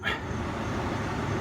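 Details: 1989 Mercedes-Benz W126 cabin ventilation blower after replacing squeaky fan with used eBay unit: steady even air rush at low speed, no squeak or rubbing.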